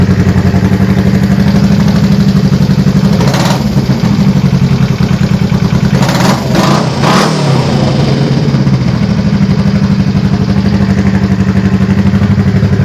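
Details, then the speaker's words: Honda CB350 after fitting a Common Motor carb kit and a first re-jetting attempt: loud, lumpy twin idle. Quick throttle blips rise and fall straight back to an even idle, which was a problem before; much improved. "as you can see was i was blipping the throttle it came right back down to idle which i was having problems with before so i'm thinking that's definitely a step in the right direction"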